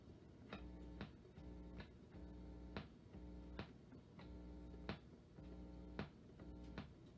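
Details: 1950 RCA console radio with 45 changer, after fitting a grounded power cord: plays cleanly with steady music and light ticks, with no mains hum underneath, so the grounding problem is gone. Normal radio audio without hum.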